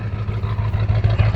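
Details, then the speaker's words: 7.3 Powerstroke diesel truck sold as burning lots of oil, started cold without glow plugs: deep, lumpy idle rumble with uneven pulses dropping out of rhythm and heavy smoke; misfire, cause unknown (bad injector or fuel suspected). "got a bit of a Miss I think you can see the fog I'm seeing so it's got a bit of a Miss to it"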